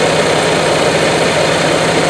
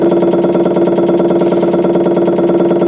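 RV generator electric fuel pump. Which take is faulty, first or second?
second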